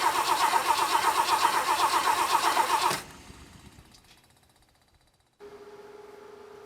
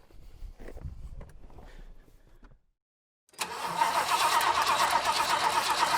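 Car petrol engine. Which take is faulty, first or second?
first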